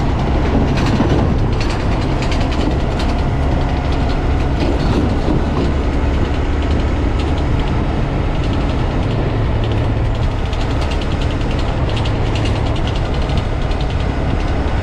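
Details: 2022 Honda Grom under 3 months old, after 10–30 minutes riding, slowing below 50 km/h in 4th or 5th or with clutch in: rattly, ratcheting gearbox chatter with mushy downshifts; owner suspects transmission failure.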